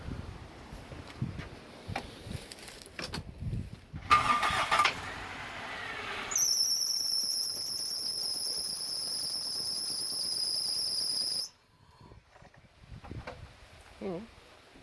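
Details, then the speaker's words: Parted-out Toyota Starlet restarted after reassembly, in neutral, fresh oil and filter, power steering filled but unbled: steady piercing high squeal for several seconds just after startup, like a slipping or rubbing belt; cause suspected, unconfirmed. "what's that build squeak is it rubbing on anything what about down under there"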